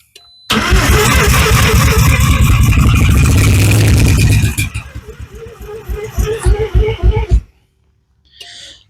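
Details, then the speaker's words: Mazda FB RX-7 rotary, first start attempt with choke; loud fast cranking around three and a half beats a second that slows and stumbles as it tries to catch; the engine is suspected of grabbing the starter and slowing it. "When you hear it hit like that, let off the key. Okay. I think it's actually grabbing the starter and slowing the motor down."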